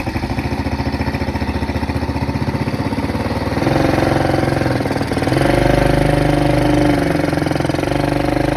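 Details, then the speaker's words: Kids' Chinese ATV on a test drive after warm-up, following a repair with a new carburetor: an even single-cylinder thump near three beats a second picks up cleanly under throttle with no misses or knocks. It runs well. "is as you just saw this thing does run and it runs pretty well and it was fun and it's not the pretty is looking ATV but it works and it works pretty well if I do say so myself"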